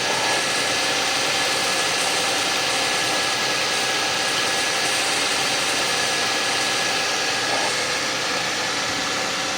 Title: Suzuki Grand Vitara 2006 2.7 V6 Cold Start, wierd grinding sound...